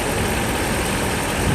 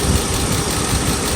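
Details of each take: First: Mercedes S500 V8 at operating temperature after timing chain and guides replacement: dense, even low idle rumble with no knock or tick, sounding healthy. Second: Mercedes S500 V8, first start after timing chain and guide replacement: uneven, stumbling idle with occasional dropped pulses instead of a smooth rumble, a misfire. Owner suspects swapped plug wires; the car then went into limp mode.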